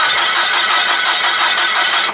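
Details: Komatsu (possibly GS20) crank no-start with no spark, spark plug tester fitted: starter churns in even pulses and the engine never catches or fires; no-spark no-start traced to a weak ignition coil.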